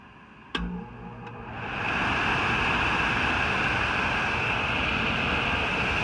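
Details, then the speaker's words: HVAC air handler after a failed X-13 ECM blower motor was replaced with a 3/4 hp PSC motor on a 20 µF capacitor. A click, then a steady airy rush with no scraping or rattle; normal blower operation. "as you can hear we've got blower operation so now this lady will have air conditioning again"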